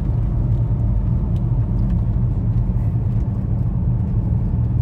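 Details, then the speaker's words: VW Touareg V10 5L biturbo under load on the road after repair of the turbo intake air-pressure-loss fault (P2279/P0299, limp mode): steady, even low rumble with no hesitation or misfire; full power back, normal running. "oui à fond pas de souci toute la puissance est revenue"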